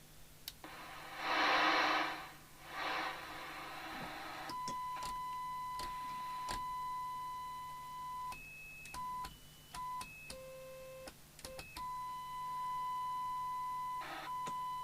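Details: 1981 Mustang 1000CB (CB27/81 UK FM CB radio, Cybernet PTBM002F chassis), speaker being checked during repair and service: clean steady test tones stepping between pitches, no buzz, rattle or distortion; the speaker reproduces them fine.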